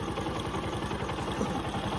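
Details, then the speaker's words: Bajaj Discover motorcycle revving with quick, even, clean pickup after repair; a cut battery positive/charging wire had caused no pickup even at full throttle, and reconnecting it fixed the problem with no stumbling or misfire. "Pick আপটা দাও এবারে। একদম ঠিক আছে, কোনো অসুবিধা নেই,"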